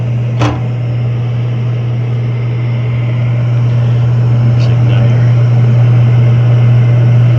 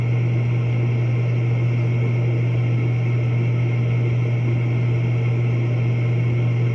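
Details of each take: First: Horizontal roof-vented propane warm-air furnace in a commercial office attic, error code 7 (ignition lockout after retries): steady inducer hum with one early click, no burner whoosh; hot surface igniter not glowing, found broken and open, no gas. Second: Horizontal propane warm-air furnace in commercial office attic, roof-vented, after fitting and adjusting a new universal igniter to reach the flame; fires every time and blower runs; strong steady low hum, soft even air rush, no rattles or surging; normal operation.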